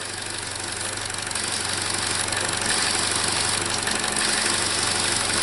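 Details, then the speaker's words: 2017 Chevy Trax 1.4L (LUV) engine with P0171 code: steady loud hiss over an uneven, very rough idle from a vacuum leak, confirmed with a vacuum gauge. "but we we definitely definitely have a vacuum leak there you can hear it and feel it and the engine was running very rough"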